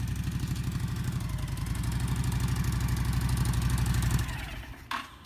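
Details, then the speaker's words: Honda VTX1300 V-twin after fuel system and carb cleaning and new spark plugs: catches quickly, settles into an even, lumpy idle at about three beats a second, smooth, then shuts off; normal start and idle. "That's the best part about firing them up. That first ride, everything runs good."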